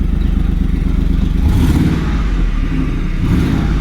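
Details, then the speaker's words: 2010 Ford F-150 4.6 V8 after a timing chain rebuild, revved with an uneven, lumpy beat, occasional stumble and puffing from a known exhaust leak. Slight misfire with check engine light on; owner suspects a coil he broke, or possibly injector dirt. "yeah, just got a slight miss. We'll clear the codes and come back and see what that miss is. But it's more than likely it's that coil."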